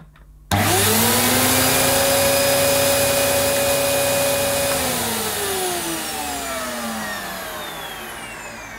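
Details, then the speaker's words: Electrolux Cyclonic Lite bagless upright, circa-2005 model new in the box, suction gauge sealed on the hose: the motor holds a steady high hum; the gauge read about 80 though the suction felt lackluster by hand. "well that's me with egg on my face it actually went up to 80 which she didn't feel like it put my hand over certainly didn't feel like 82 feel a bit lackluster"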